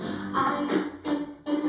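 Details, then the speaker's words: JBL Flip Bluetooth speaker streaming from an iPad at a distance: music plays in short bursts cutting out and returning about every half second; Bluetooth audio dropout. "something is coming up but yeah it's skipping"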